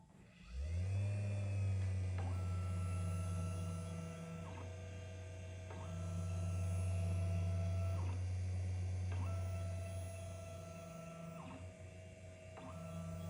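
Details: Matterport Pro3 camera, VDrive (lidar mirror motor) at an acceptable noise level: low, steady motor hum with a soft higher tone cycling on and off every few seconds; normal.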